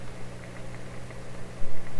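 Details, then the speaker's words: 1930s Canadian General Electric K60 tube radio: steady low mains hum from the speaker with faint irregular ticks, snaps and crackles over hiss, partly electromagnetic pickup by the microphone just above. Crackling from electrical breakdown. "So for instance, all I'm hearing right now is the breakdown in the speaker sound. I don't hear anything else, but you probably hear something that sounds much more snappy and electrical."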